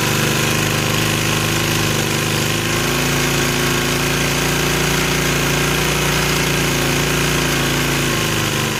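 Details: 1965 Honda E300 generator, single-cylinder, after restoring spark, throttle turned down low: smooth, even idle with steady low hum, no misses or knocks; runs healthy, light works.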